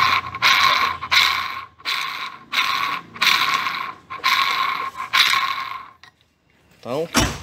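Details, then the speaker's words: 2010 Ford Fusion V6 electric steering rack, disassembled and turned by hand: gritty grinding bursts about every 0.75 seconds from a bearing worn by water intrusion; electronic module is fine. Planned fix is replacing the bearing and cleaning the rack. "modo eletrônico da caixa pressão não tem nenhum problema tá vendo aquele barulho é que nesse rolamento aqui ó paí ó"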